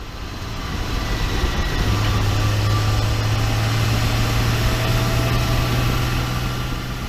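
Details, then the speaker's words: 2012 RAM 2500 6.7 diesel at 110,000 miles after swapping a noisy G56 manual for a rebuilt unit, driving; steady low drone, no gear whine or rattle, noticeably quieter than the old gearbox: normal manual transmission operation. "you know I will say it's definitely quieter it was the one that I pulled out you could hear you can hear inside of the Walmart it's just it was louder so it's definitely quieter now"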